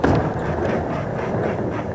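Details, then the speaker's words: Skateboard rolling at speed on slightly worn, damaged wheel bearings (about half their capacity): steady rolling roar with a faint rough, gritty edge, still fairly smooth but not new. "là on peut entendre un petit bruit alors on va rouler plus vite c'est assez fluide mais on entend un petit coincon quoi quoi quoi donc c'est fluide mais on sent que le roman n'est pas neuf"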